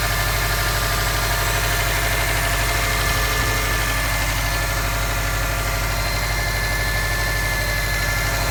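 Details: 2015 Subaru STI flat-four idling with a dull, uneven knock of about three beats a second over the low thrum, appearing on start-up after a 2–3 mile drive and a prior check engine light; cause unconfirmed.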